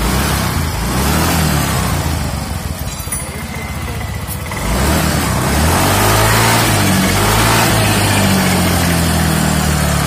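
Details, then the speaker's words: Yamaha Mio M3 scooter after fixing the rough "jrek jrek" friction noise with a cheap repair: idles and revs smoothly, even firing beat, no rattle or clatter from the top end. Normal engine running. "hi , it's already quiet, guys, the voice was very rough, now it's smooth,"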